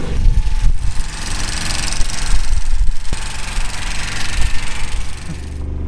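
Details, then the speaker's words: Car deliberately shifted into 1st gear at 90 km/h, damaging the engine: a rough, uneven low rumble at low revs with irregular knocks and stumbles. It now runs on three cylinders and won't pull or rev further. "We can say this engine is broken it runs on three cylinders"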